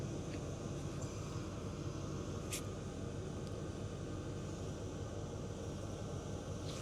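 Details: Hcalory Toolbox Max 8 kW diesel heater (2025) running in a garage: quiet, steady burner rumble with a soft fan hush and no surging or popping; running normally.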